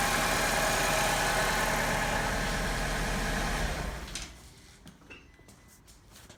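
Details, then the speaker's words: 2002 Alfa Romeo 147 2.0 Twin Spark at idle: slightly uneven, stumbling beat before shutting off; misfire on idle and acceleration, failed ignition coil suspected, a coil previously burnt and replaced. "I have a miss on idle and accelerating."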